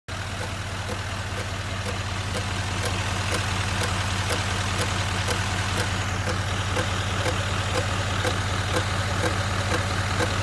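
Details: 2019 Chevrolet Silverado 2500 HD L5P diesel at idle with loud clicking/tapping from the front, sharp regular ticks about two and a half per second over a steady rumble; cause unknown.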